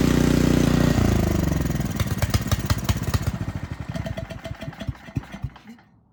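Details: Craftsman snow blower that sat unused, after fitting a new carburetor and shortening the fuel line, kill switch disconnected: cranks and fires in quick pops near 200 per minute, then runs down and dies; fuel delivery working again.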